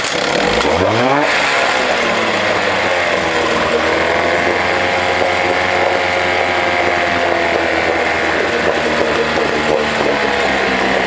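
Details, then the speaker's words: 1979 Johnson 6hp outboard with low compression, in a test bucket after the bucket was refilled with water: catches, revs up quickly and settles into a steady, even two-stroke buzz; water is now coming out and it works normally. "yeah let's see this thing work actually yeah it works"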